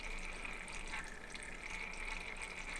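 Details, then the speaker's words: Thermalright 360 AIO on a test bench, pump at 65% in software: a gurgling, trickling water sound over a thin steady high whine, loud bubble and pump noise from air trapped in the loop bubbling through the pump. "just because this pump is making so much noise so if you look at my screen here like it's at 65% it's just making so much bubble noise and and and pup noise out of it"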